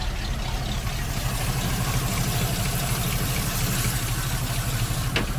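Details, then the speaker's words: ZIL crane truck at idle: steady, low, even idle with a soft regular beat, running well, but idle speed is too low for the alternator to charge, so it needs raising slightly. "Единственное, надо чуть-чуть добавить холостых, потому что зарядка не идет. Вот так он работает."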